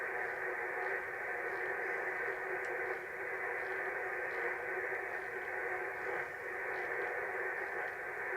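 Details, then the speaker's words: Wireless microphone receiver with the soldering iron switched on: a steady hissing buzz fills the audio band with no signal underneath. Electrical interference from the soldering iron. "Hey shows how dirty modern electronics is, doesn't it? You know, you turn your soldering iron on, it does that."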